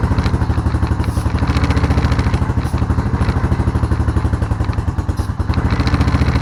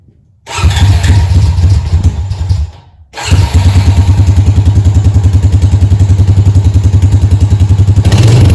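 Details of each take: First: Honda Rancher ATV that sat with old gas, run after a carburetor clean and fresh fuel: lumpy, uneven idle with a wavering beat, shutting off now and then. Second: Honda Rancher ATV single-cylinder after carburetor cleaning following a no-start on old gas: fires, dies briefly, restarts and settles into an even thump of three to four beats a second; runs normally.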